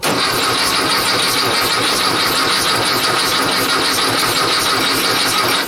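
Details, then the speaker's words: 1956 VW Beetle air-cooled engine, first start attempt on a chilly day, carbs cleaned and primed with carb cleaner: even cranking about six seconds, no firing; no spark because positive wire to coil not connected. "I didn't hook up the positive wire got to hook up the positive if you don't have positive juice to the coil you ain't going to get a spark"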